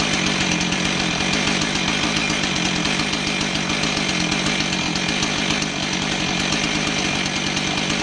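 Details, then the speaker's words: Husqvarna 445 chainsaw that bogged and wouldn't rev, after cleaning plugged low-speed carb circuit (likely old fuel) with carb cleaner, low-speed screw out 1¾ turns: crisp high buzzing two-stroke note holding steady at high revs, no bogging; fixed. "so it looks like our whole problem was that the low speed circuit was plugged up probably old fuel just starting to turn you know the lows speeed passages are some of the finer smaller passages in a carb so they'd be affected first and uh cleaning it out with some carb cleaner was all it took to get this thing going"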